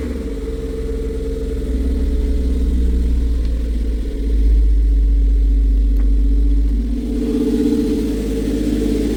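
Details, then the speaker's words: MR2 Spyder petrol engine idling after fitting a thick Remflex gasket between the OEM manifold and the catless CHE test pipe, nuts torqued about 45; earlier leak and slight rasp gone, no leak felt at joint; steady, even low burble. "okay so I tested the the place here I kept my hand around uh The Joint between the manifold and the downpipe where the new gget is and there is no leak earlier there was a leak at this side and the block side now I kept my hand there there is no leak at all"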